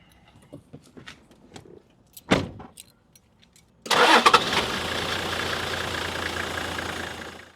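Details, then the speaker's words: Toyota LandCruiser 80 Series 1HZ diesel, previously hard to start on cold mornings, now with new NGK glow plugs: a short cranking clatter, then it catches quickly into an even, steady idle. Normal cold start after the repair. "So we've just finished the glow plugs, and honestly, you probably just saw the video. The 80 series fired up pretty good, man."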